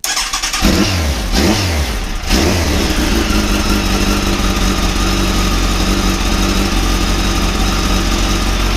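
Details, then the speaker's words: Motorcycle first start after clutch rebuild with old clutch refitted, new gasket seal, fresh oil and coolant topped up: catches, blips twice, settles to steady idle; earlier noise gone. "I was getting a noise and there's no noise now and thought of reps on for a moment"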